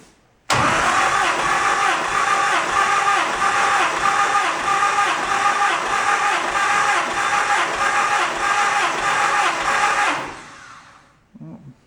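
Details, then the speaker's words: 1949 Willys pickup, F134 four-cylinder, briefly run and warmed: even starter cranking about ten seconds, regular compression pulses near ninety-five a minute, no skips. Compression test reads roughly 120, 110, 105, 105 psi; not great but enough to run, normal. "I want a compression test now that I've run it just a little bit, warmed it up, got things kind of oiled up, and let's see what we get."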